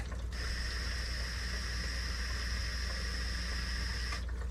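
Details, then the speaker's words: DIY aquarium doser pump switched on via Apex controller: steady even high whine with trickling water for about four seconds, stopping cleanly; pump works fine. "as you can see it works beautifully so on to the next project"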